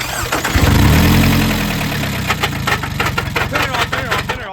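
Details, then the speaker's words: Scion tC after a starter replacement, restarted: it cranks, catches, then hammers with a loud uneven clatter, three to four bangs a second, before shutdown; severe internal knock. Suspected blow-by into the crankcase, low oil disputed, not confirmed. "That was uh that was really bad sounding from over here. That sounded like that sounded like your engine is grenading itself"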